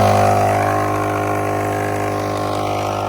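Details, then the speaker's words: Tozalazz 12V portable air compressor inflating an aired-down tire from about 16 PSI: even, buzzy piston hum at a steady pitch that slowly softens as pressure builds; the check valve sealed after startup and nothing leaks. "All right, as soon as I started it and shut it back off, the check valve or piston or reed valve or whatever is in this thing seemed to close up just fine. So now we are not leaking anything."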